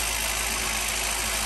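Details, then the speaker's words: Honda B-series engine idling just after replacing the distributor O-ring and inner seal for an oil leak. Even, steady idle with no stumbles or misfire; timing good. Normal idle. "Sounds good. Don't sound like she's misfiring, so that's a good sign."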